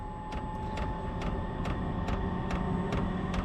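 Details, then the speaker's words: Chinese diesel heater installed in a shed, still cold after firing off with ether assist, turned up to level 10–11 and spooling up: sharp even fuel pump ticks about 140 a minute over steady fan hum; normal start-up. "come on that fuel pump's just giving her"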